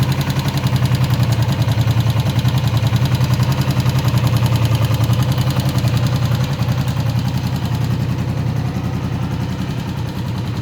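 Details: Honda CB125F single-cylinder engine idling once warmed up: steady knocking beat over its low thump; cause unknown, owner seeking help.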